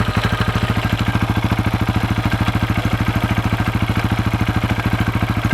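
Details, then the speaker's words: Left-side engine on a 2004 KTM 640 LC4, 38,000 km, started after 10 days unused: sharp regular tac-tac clatter at idle, two to three per second, sometimes grinding; worse at low revs (2nd gear, 40 km/h), stops when in gear with clutch held; owner has heard crankshaft or clutch bell suggested, cause unknown. "même quand je roule à bas régime ça claque un peu tac tac tac tac et des fois va grincer un peu même et je sais pas ce que c'est ça me fait peur"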